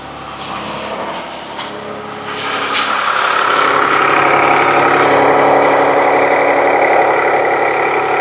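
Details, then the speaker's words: 2019 Jeep Cherokee with low power, P0171/P0174 and low fuel pressure, just after fuel pump replacement: idle with a regular tick about four per second under a rising hiss; engine suspected of internal issues. "That engine sounds like it's got some internal issues."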